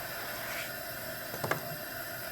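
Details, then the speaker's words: Coleman camp stove after rebuild, valve opened fully then a quarter turn back: steady, even roaring hiss levelling out with one brief tick, no sputtering; normal burner operation. "So once you kind of get to that point, you might as well open it all the way up. Go a quarter turn back. Now I can hear it's kind of starting to level out."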